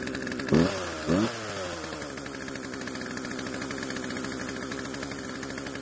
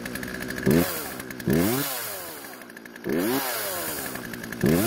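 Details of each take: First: Poulan chainsaw started after storage once old fuel was drained from tank, lines and carb and fresh mix added: never settles to slow idle, keeps buzzing fast so the chain keeps moving; idle speed too high. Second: Poulan chainsaw two-stroke after chain tension and light sharpening: crisp snarl rising cleanly with each trigger squeeze, pulling steadily through the cut and dropping back evenly; running and cutting properly.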